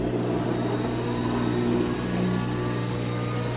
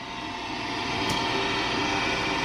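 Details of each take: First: LG WM3488HS washer/dryer combo after fixing hot-air circulator fan motor (worn bearings caused the whine): steady low hum, clean tone climbing smoothly as fan spins up, no rubbing or grinding; normal dryer fan operation. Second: LG WM3488HS washer/dryer combo in drying cycle, noise from upper back corner: constant harsh rushing roar with steady whine, no knock; owner suspects fan motor, fears water pump; hot-air circulator fan motor bearings worn.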